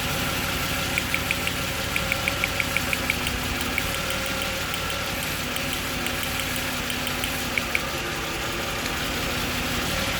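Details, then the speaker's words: Jaguar XJ40 XJ6 4.0 Sovereign, lumpy idle with irregular stumble and faint clicks; one dead cylinder misfiring from water in its spark plug well. Pulling that lead makes no change, confirming a spark plug problem. "You can hear when I take the other ones off, the engine now changes, look. Take that one off, it's the same. And then it tries to fix itself. But it can't. So it's definitely a spark plug problem."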